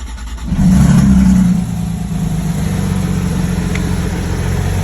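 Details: Porsche 991.1, code P0301, cylinder 2 reported misfiring: a quick blip then a slightly lumpy, uneven low beat at idle instead of a smooth hum; engine misfire.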